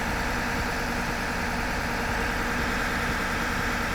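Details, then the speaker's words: 2021 Ford F-150 PowerBoost at high idle, about 1200 rpm, with its onboard inverter running an air compressor past 100 psi: steady raised-idle hum with a constant fan-like rush, no knocks or misses. Fans not kicking on, only slightly warm under the hood; normal under load. "fans aren't even kicking on this nothing's even hot yet here this is cool this is cool very impressive guys"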